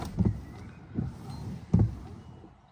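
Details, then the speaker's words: Peugeot 3008 1.6 diesel with injector 4 short-circuit-high codes, idling in neutral in economy mode with the aircon on: an uneven, heavy rough idle that wants to stall with no power, a misfire from the failed injector. "It's not the best condition. It just feels as though it wants to stall. No power."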